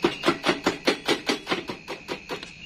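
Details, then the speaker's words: Honda Vario scooter with a new battery fitted, ignition on and dashboard lit: pressing start gives rapid dry chattering clicks, about four per second, with no cranking; starter fails to engage. "Jadi untuk apa namanya dashboard nyala ya ini saya matikan saya terulang ke Hai percaya coba untuk chapter nah kayak gitu aja saya lagi nah dia hanya bersuara cecak nah"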